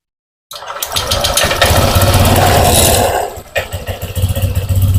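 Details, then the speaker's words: Honda Vario 150 injected scooter, high fuel use and fouled spark plugs, idling after swapping the original injector back: uneven hunting idle with a midway dip; injector not at fault. "sama ya teman-teman untuk injektor ini yang orinya sama yang gantian motornya tetap seperti ini pasti boros ya rangsamnya tidak stabil"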